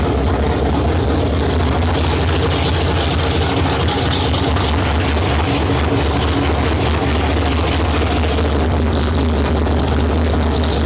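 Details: 1972 Ford Maverick with a freshly rebuilt 317 V8 on its first start, no exhaust fitted. A loud, steady, deep burble with an even firing pulse and no misses, knocks or ticks. Normal idle.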